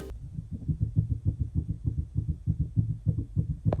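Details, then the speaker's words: 2018 Land Rover Discovery Sport with an elusive front-end knock: dull low thumps repeating about three times a second, evenly paced; found to be worn rear bushings of the front lower control arms, which were then replaced. "чітко він це чітко той звук Не знаю чи селенблоки дешевшої ніж опора Я думаю Ні ну але ми вже близько"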